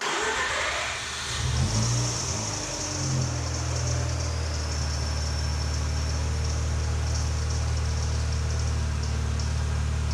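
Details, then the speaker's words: Mazda RX-8, new 13B rotary build with 180 miles, new O2 sensor just fitted, battery reset and idle relearn done: short crank, catches at once, steady even idle; clean cold start, though idle later surges when warm. "As usual, it fired right up on the cold start."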